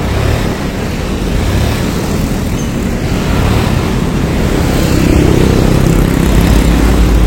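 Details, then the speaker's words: Yamaha Mio carburetor scooter that had lost power: now runs but with a heavy, rough, snoring grind swelling with revs, too harsh to ride fast; worn camshaft suspected, not confirmed. "suaranya ngeri ya suara di bagian mesinnya ini sudah ngorok ngorok parah untuk dibawa ngebut ya kurang berani lah ini"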